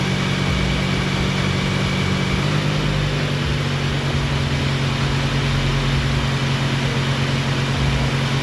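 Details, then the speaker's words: Abandoned 1988 Mazda FC RX-7 rotary after Seafoam treatment to free carbon; steady, fairly even cranking drone with no catch or firing, crank no start from low rotor compression, treatment unsuccessful. "So hopefully this frees that up and I have compression again and this thing will run. But we'll see."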